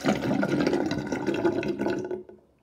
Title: Interesting drain with drainbasket with loud gurgling sound